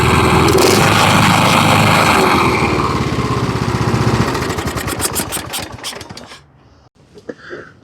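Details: Kohler Courage engine on a Husqvarna riding mower, a no-start that turned over fine, after debris was blown out with brake cleaner and an air hose: it catches with a little choke and fires at a quick, even beat; starts and runs normally.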